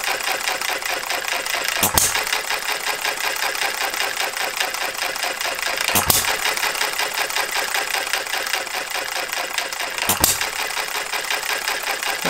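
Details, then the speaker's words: Model Farm Boy hit-and-miss engine (Jerry Howell design), first run after ignition set and Viton O-ring fitted: governor lets it speed up to about 650 rpm, fires again near 570; steady clatter with sharp firing pop about every four seconds, coasting between. Governor cycling normally; spring perhaps slightly heavy. "it up to 650 and it fires when it gets down to about 570."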